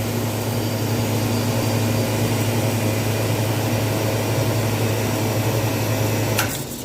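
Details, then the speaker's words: Walk-in freezer compressor put into defrost: a steady low hum runs a few seconds, then cuts out abruptly, short cycling (in at 20, out at 8); liquid line solenoid first suspected, later traced to an internal compressor leak. "put it in a defrost and it is short cycling. So that's definitely the problem. Kicking in at 20,"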